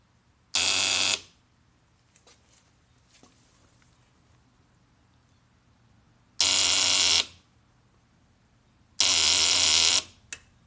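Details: 2005 Kawasaki Ninja 250 that was cranking fine now won't start despite fully charged battery: three short harsh buzzes under a second each, a few seconds apart, with no cranking; starter not turning engine, cause unknown.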